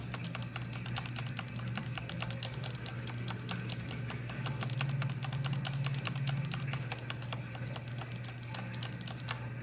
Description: Better example of clicking/ticking noises of corsair k65, those are cherry mx reds, they should not be any where near this loud or clicky.